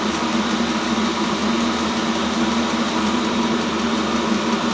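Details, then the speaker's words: New self-contained Chinese diesel heater on first run while bleeding, output air up to 70 °C; steady even fan and burner whoosh with faint hum, no surging or rattles; normal running at full heat. "Starting to put heat out now. Starting to blow warm air out."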